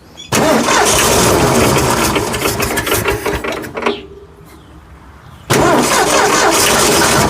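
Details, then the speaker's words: Ford F100 whose seized engine was freed, now fed fuel from the tank with carburetor filling: catches and revs, sags briefly, refires and holds; runs not very well yet; normal running. "anything yeah it's a running truck look at that I got to do it again it runs it's not real good it'll get better"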